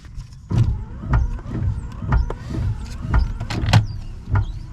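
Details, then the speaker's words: Volvo 480 wipers that stay dead when switched on, then start after minutes, sweeping with uneven thumps under a second apart. Damaged wiring, including a brown wire, was found under the dashboard. Intermittent wiper operation. "Yeah, now you hear it starts working."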